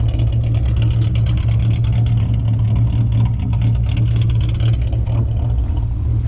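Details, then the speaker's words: Steady low idle at 725 rpm (raised from 675) with a rhythmic, even chop from a ghost cam tune on a 4.0 V6 Mustang; no shaking or misfire, engine smooth. "there's no motor shaking like really bad or anything as you guys can see everything's pretty smooth even with the chop so even with having the chop still"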